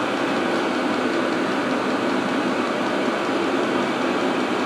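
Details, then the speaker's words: Self-contained parking heater running after modifying its exhaust attachment with super solder: steady, even roar of combustion and fan with no surging, popping or rattles, burning really well and responsive, fuel pump ticking slowly. "It's burning really really well. I mean it's absolutely stocky there. Really good."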